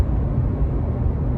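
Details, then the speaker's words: 2018 Subaru Crosstrek driving about 55 mph after replacing the rusted rear wheel bearing: even low road rumble with no hum or growl rising over it; the new bearing sounds fine. "I don't hear anything wheel hasn't fallen off I think we're good to go"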